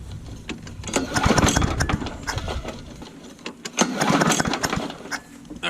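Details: Old Murray push mower, primed in cold weather: repeated pull-cord rasps with brief sputters that never catch into a steady run. The mower is hard to start; the cause is not confirmed.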